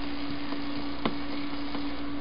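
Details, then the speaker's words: Amperex 6DJ8 tube on a Hickok 539C tester's noise test, output fed to an old radio's antenna: a steady hum with scattered sharp pops and crackles about every half second, matching flicker on the light, no tapping needed; noisy tube section. "I don't know if you can hear that but you can actually hear this Shar through the radio and that's the noise test you can also see it corresponding with the Shar on the light"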